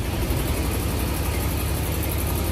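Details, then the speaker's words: Supercharged green Range Rover L322 V8 after MAF cleaning and clearing codes (no codes stored): still runs rough with deep, uneven, lumpy beat and misfires; small exhaust leak, some smoke, coolant fan connectors found unhooked. "let's fire it up no codes going to smell a little like bit oil I think cuz I uh little exhaust leak and see if that's still running rough yeah it still doesn't sound good"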